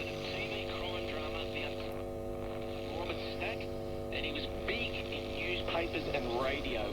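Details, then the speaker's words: Philips valve radio powered through a variac and dim-bulb tester at about 85 V upward, no aerial fitted: steady mains hum with a faint, warbling broadcast voice. Medium-wave reception is very weak. "okay it's very weak but it's reception that's on medium wave"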